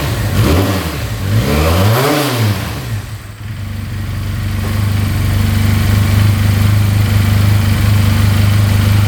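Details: 2022 Benelli 302S motorcycle idling at 1700 rpm; clean blips rising and falling, then steady even idle with no knocks or rattles in top or bottom end; revs out freely.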